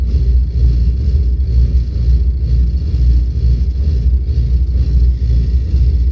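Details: Volvo 8700 bus diesel with ZF Ecomat automatic that won't engage neutral at idle: deep, uneven low rumble sagging as the gearbox drags the engine nearly to stalling; too low rpm, same noise uphill.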